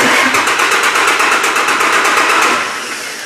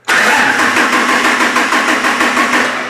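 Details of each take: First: Vehicle cranking after cleaning a bad battery cable connection found by voltage-drop test: strong, even cranking beats about six per second, no slowing; cranks much better than before; normal cranking. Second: Cranking during a voltage-drop test, about four volts difference measured between the two batteries: starter turns sluggishly and unevenly at about three turns a second, dragging and fading; slow cranking from voltage drop.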